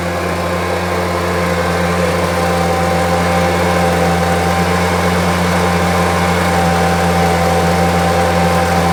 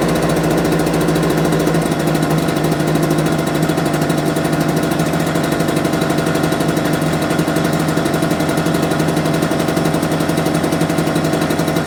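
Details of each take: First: Homelite UT08572, small two-stroke, tested outside after repairs and a spark check: steady, even buzz at constant speed with no stumbling, surging or misses. Owner will check whether an earlier "tink" noise is gone. Normal running. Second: Homelite UT08572 small two-stroke, not yet warmed up, about two minutes running: buzzy, uneven, slightly slow idle struggling to stay running; idle too low and it died on its own, owner might adjust idle.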